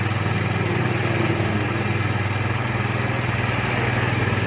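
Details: Honda Vario 110 scooter that would not start, now running after repair: even, steady idle with a regular pulse around four beats a second and no stumbling; engine running fine.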